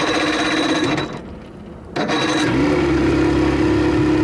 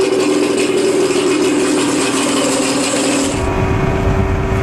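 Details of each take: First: 1987 Johnson 40 hp two-stroke outboard in the water, shifting into reverse, motor mounts worn: loud rough rapping sags and nearly dies for about a second, picks up with throttle; poor idle, stalls without throttle, idle adjustment needed. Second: 1987 Johnson 40 hp two-stroke outboard in water, briefly warmed up, previously not reaching full speed: runs steady and strong, then drops smoothly to a lower even note, no misses or knocks.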